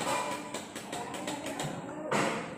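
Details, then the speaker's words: CBZ Xtreme motorcycle with a new, good battery and the neutral light on: pressing the start button gives quick dry relay ticks, about five a second, with no cranking; the self-starter motor does not turn, and its carbon brushes are then replaced. "Button అనేది press చేస్తుంటే ఇప్పుడు మనకి relay లో ఆ sound అనేది tick tick sound అనేటువంటిది వస్తుంది కానీ సెల్ఫ్ అనేటువంటిది స్టార్ట్ అవ్వట్లేదు"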